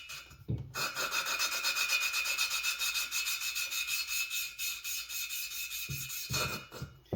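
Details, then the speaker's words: Kawasaki FR730V cylinder head, exhaust valve being hand-lapped with grit compound and a cheap lapper; gritty back-and-forth rasp about four strokes a second, softening as valve and seat lap in. "Take your cheap little lapper and then just back and forth. You'll hear the change."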